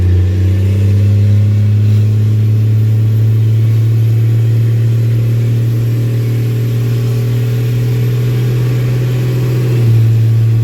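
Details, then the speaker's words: Diesel truck accelerating from a stop light, warmed up with good transmission lockup: deep, steady drone pulling cleanly with an even beat, no knocks or misfires; healthy engine. "Love that sound. Yeah, he does run trans once it warms up. You get a good lockup."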